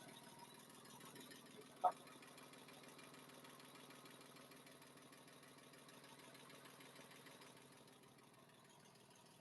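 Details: Porsche 997 flat-six freshly built, idling after being held at 4,000 rpm for 30 seconds, coolant below minimum, recorded from underneath: faint, even idle hum with steady pulse, no ticking or knocking; healthy normal idle.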